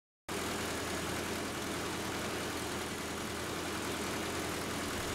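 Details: Nissan 2.4 12-valve engine after a timing chain replacement, with the distributor timed to the cylinder 1 plug wire: a steady, even idle with a smooth low rumble and no knocks, ticks or rattles. It sounds healthy.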